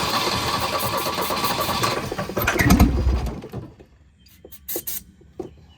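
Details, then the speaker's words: Volvo 242 abandoned in the woods, after long storage: engine cranks, catches, runs ragged and uneven, then dies; no knocking; owner thinks it needs carburetor work and fuel, cause unconfirmed. "running. I don't know if you want to call that running, but it runs. It's not knocking or anything. That doesn't sound good."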